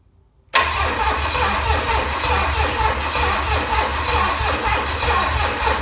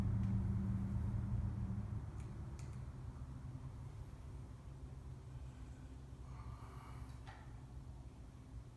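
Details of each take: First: Low-mileage, never-overhauled 1968 Buick 430 V8 from a '68 Riviera, first start attempt in decades; starter churns at a steady, even beat for several seconds, never fires; crank no start, no spark. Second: Original, very-low-mile 1968 Buick 430 V8 (ex-'68 Riviera), first run in decades after fixing a bad ground at the distributor points, carburetor never apart: a steady low rumble settling into an even idle with no misfires, hitting on all eight.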